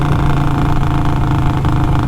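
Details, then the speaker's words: Harley Sportster V-twin on its first ride: a deep, steady burbling exhaust on deceleration as the revs drop, with even pulses and no misses or pops; a healthy engine. "but on deceleration that exhaust is nice listen to"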